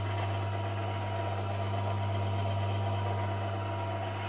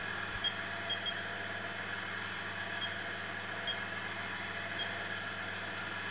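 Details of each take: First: VF1 machine spindle gearbox reassembled after teardown for noise, run at 500 RPM: low hum with mild gear whine, quieter than before but still noisy meshing. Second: VF1 spindle gearbox after rework, shifting into high gear at 2500 RPM, not yet fully warmed up, covers off: smooth even mid-pitched hum with faint high tone, quiet gear change, no knocking or grinding; normal high-gear running.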